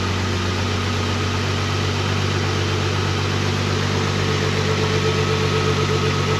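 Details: Nissan GTR with a cat delete system, possibly mounted upside down: deep even exhaust burble at a steady idle, regular pulses with no misses or knocks; owner says it sounds good.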